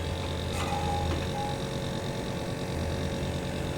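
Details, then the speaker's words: AC outdoor condenser fan motor seized: compressor running with a steady low electrical hum, no fan airflow, and the fan jammed even when turned by hand; motor must be replaced. "আউটডোরের ফ্যানের মোটরই খারাপ হয়ে গেছে এই যে আওয়াজ হচ্ছে দেখতে পাচ্ছ একদম ঘুরছে না পুরো জাম মোটর খারাপ হয়ে গেছে"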